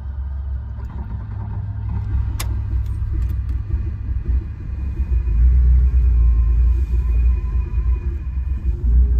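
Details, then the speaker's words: 1980 Ferrari 308 GTSi, 20,889 original miles, recommissioned, fully cold start in neutral with clutch in, unassisted; deep steady rumble swelling as it catches into even idle, about 85 psi oil pressure at idle; normal cold start. "Completely unassisted. So as you can see, with any kind of regular driving, she would be easy to fire up and run."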